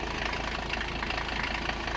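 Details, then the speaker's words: Long-abandoned Mercedes 300CD diesel, first runs after glow plug checks: loud uneven idle with heavy clatter and lumpy stumbling beat, sounds like a freight train, missing some cylinders; owner suspects it needs fuel. "i think she needs some fuel she's running on less cylinders than she should be well attack doesn't work yeah she's missing some cylinders there"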